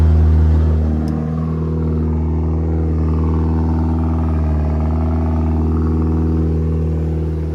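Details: Eagle Talon 420A engine on a DIYAutoTune MegaSquirt ECU: revs come down from a high drone and hold a strong, steady rumble without stumbling. Normal running.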